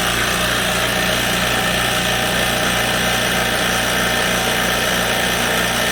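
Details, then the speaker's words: Typical small air compressor, used for comparison: steady, even motor-and-pump drone with fast rhythmic chatter, no knocks or surging; normal running. "so that's pretty typical small compressor like that sounds like that"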